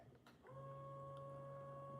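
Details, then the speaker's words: New countertop ice maker, first power-on: a couple of faint clicks, then a small motor hum holds a steady pitch, likened to a computer, as the ice pusher moves and the pump tries to draw water. Normal startup. ">> trying to suck up water. Just let it settle. >> Do you guys hear that? Sounds like a computer."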